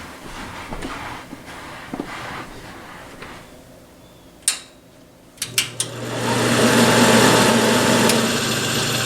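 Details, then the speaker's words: Napoleon NPS-40 pellet stove combustion blower fan switched on: clicks, then steady hum with rough gritty whir from worn, failing motor bearings; blower being replaced. "I'll turn it on right quick just so you can hear what it sounds like. Hear the crummy bearings in there."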